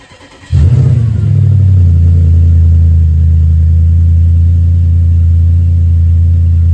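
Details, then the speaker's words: Audi S5 V8 after replacing a £50 timing-advance part that was stuck advanced: it catches and settles into a deep idle, still a bit lumpy with a faint irregular beat, though much improved; slight misfire, cause not confirmed. "So that was a £50 part, and now, well, let me start for you and you can hear how she runs. She's still missing a little bit, but God, it made all the difference."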